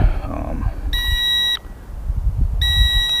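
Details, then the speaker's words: Eachine E520s drone being readied for an outdoor flight test after recalibration (LEDs steady, 10 satellites), in light wind: two bursts of steady high-pitched beeping, about half a second each; the warning's cause is unknown to the owner. "Alright, it's beeping on me, I don't know why."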